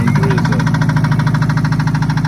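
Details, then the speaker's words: 2003 Subaru Impreza manual, jump-started at idle: fast, even ticking knock at about seven beats per second, and an apparent exhaust issue; engine knocking, cause unclear. "Started up with a jump. Hear the engine knocking. Also sounds like it has an exhaust issue."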